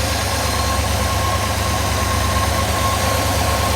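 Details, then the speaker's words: A 1956 Ford Thunderbird V8, after sitting about 5 years and running on old fuel, idles quietly and evenly with a faint light ticking and no stumbles; something is leaking, with slight bubbling at a leak. "Really, she's quiet. She sounds pretty nice."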